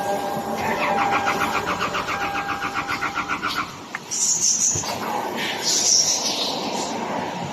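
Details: Toyota Land Cruiser cranking without starting: starter chugs evenly about three to four times a second for a few seconds, then stops; the engine never catches.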